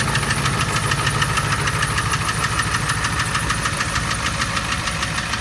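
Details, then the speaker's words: Ford 7.3 Power Stroke diesel running: a sharp metallic knock about two per second over the clatter, from cylinder #4. It remains after swapping injectors 2 and 4 (Full Force stage 1.5s, 6,000 miles); injector knock suspected but not confirmed. "I put a cocktail of Marvel Mystery Oil and a bunch of Hot Shot Stiction Eliminator in it because some of my friends are saying that it is injector knock."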